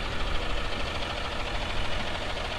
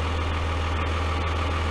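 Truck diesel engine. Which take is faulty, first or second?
second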